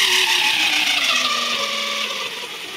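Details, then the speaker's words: JET BD-11CNC lathe converted to CNC with a 1.5 kW servo, HTD 8M toothed spindle belt on temporary 3D-printed plastic pulleys: piercing whine with drifting tones starting around 600–800 rpm, deafening near 2000 rpm; belt howl, cause suspected. "То есть на 2 с поно уже уши как бы закладывает, что вообще странно, потому что этот же ремень на этих же шкивах, то есть шкив даже ещё меньше был."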